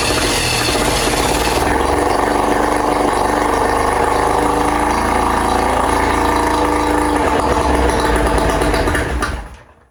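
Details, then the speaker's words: 1968 Electrolux Penta E-50 43HP three-cylinder two-stroke outboard, first start after 20+ years, on choke in a water barrel, water pump not pumping: loud, raspy, lopsided fast idle, then it dies. Cylinders two and three appear not to be firing; oxidized wires or faulty ignition coils are suspected. "The spark plugs from the second and third cylinders look like they've never been firing. Could the engine really be running on just one cylinder?"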